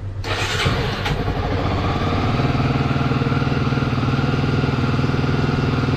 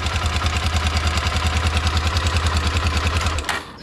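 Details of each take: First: Honda CBF 250, 2006, about 44,000-46,000 km, after timing chain and tensioner repair for a top-end knock: single-cylinder starts and settles into a smooth, even, quiet idle with no ticking; oil changed, filter still pending. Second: 2006 Honda CBF 250 single-cylinder, about 44,000–46,000 km, idling with light metallic clatter from the top end; timing chain confirmed to need work.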